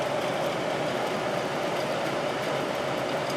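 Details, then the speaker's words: 1972 GE Slumberline 6,000 BTU window air conditioner with the fan only on high, drawing 2.63 amps, compressor off. A steady, even rush of air with a constant mid-pitched motor hum and no rattles or scraping: the fan is running normally. "2.63 that uses a lot of power just that fan motor alone"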